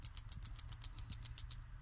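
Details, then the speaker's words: Freed BMW N54 335i VANOS solenoid, previously completely stuck and grimy, shaken by hand after cleaning: a dozen quick light clicks, about six a second, now moving freely; linked to VANOS codes 2A82/2A87, replacement likely. "yeah this one was uh completely stuck it wouldn't make that noise at first I'm thinking maybe it was grimmed up and it's finally loose"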